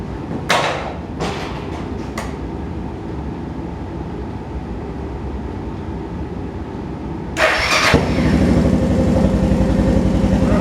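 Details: Suzuki DR650 that was running rich, after a main jet change and needle adjustment: a few starter clicks, then the single fires promptly into an even, steady thumping idle without touching the throttle. Normal start and idle.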